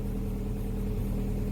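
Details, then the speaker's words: Opel Omega B, 4th-generation propane-butane LPG that wouldn't switch to gas; arming valve stem removed, engine runs directly on gas with steady even low idle, no misses, knocks or hunting; valve coil suspected burnt. "Sans la valve d’armement, il a commencé à fonctionner directement ."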